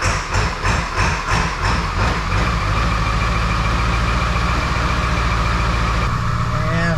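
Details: 2002 7.3 Powerstroke diesel, unrefined tune (HP Tuners), glow plugs cycled, about 60°F: slow rhythmic cranking about two seconds, then it catches into a steady deep idle. A normal cold start and idle.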